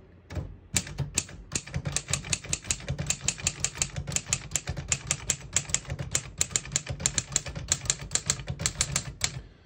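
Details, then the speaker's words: 1955 Underwood Universal portable typewriter on single line spacing; crisp evenly spaced key strikes, all keys type cleanly without skipping or sticking, normal. "As you can see, all the keys type nice and none of them skip or stick."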